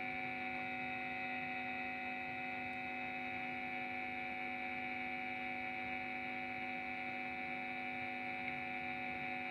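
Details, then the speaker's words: Cheap TP-Link power adapter powering a guitar effect pedal, noise measured by phone meter at 36 dB minimum, 51 dB average, 53 dB peak: steady buzzing hum with a thin high whine, unchanging, mains hum leaking from the adapter. "Ini bunyi loh. Ya, bunyi ya. Kalau kita tekan gini, noise-nya akan berkurang seperti yang saya terangkan di awal tadi."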